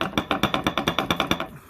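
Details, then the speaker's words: 2009 Ford Escape Hybrid after a previous mechanic's transmission work: quick, even clacking about eight times a second that stops abruptly; the front driveshaft is not centred and must be removed and refitted. "So now I got to take his drive shaft out, because that's where all that noise is coming from, this drive line. Looks like it's, to me, it looks like it's not centered there."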